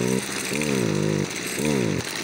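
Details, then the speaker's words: Stihl FS55 brushcutter, stock, idles and starts well but stalls: revs rise and sag in uneven surges when throttle is opened, never holding high revs; bogging under throttle, air leak via carburetor accelerator pump suspected. "Ну как бы да как бы разгара работает но это ребят Не норма Ну обычный пользователь так не сможет её грубо говоря разогнать"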